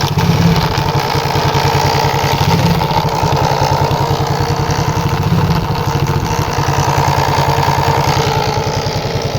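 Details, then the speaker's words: Shineray small single motorcycle with engine noise at the magneto cover: choppy idle with a rough rattling beat near three per second over the exhaust. Cause found was loose stator screws under the magneto cover. "Vocês estão ouvindo ó Que barulho deu então o barulho aqui na tampa do magneto"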